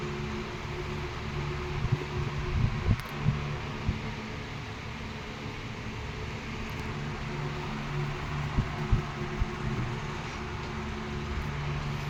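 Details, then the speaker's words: R&M Banner 16-inch 2-speed oscillating table fan on high speed, about 1.2 amps, oscillating. Steady low motor hum with soft air rush and an occasional faint gear tick; the gearbox quiets under load. The fan is healthy. "You hear the gearbox kind of quiets down. Uh, it's because it's got a a load on it. Quiets down a little bit."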